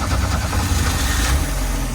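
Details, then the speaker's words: 1985 Chevrolet Astro cargo van, four-cylinder, four-speed manual, first run since about 2011 after 15 years sitting; sticky throttle pedal pulled back: deep, even idle with smooth pulse, no stumbling or knocking; idles well. "Uh once I pulled it out, it idles pretty good. First time since probably 2011."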